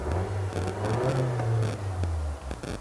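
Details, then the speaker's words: Copart car at auction, running: smooth, clean rise and fall of revs with an even tone and no knocks or rattles; sounds like a healthy four-cylinder. Runs "like a champ", normal revving. "everything seems to be okay well not bad not bad all right uh geez she runs like a champ"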